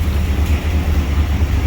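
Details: 1992 Pontiac Trans Am that had been running rich and misfiring, after a fix: deep loud V8 rumble with raspy, uneven puffing at idle, spitting old fuel from the exhaust; hole in the catalytic converter, exhaust leak.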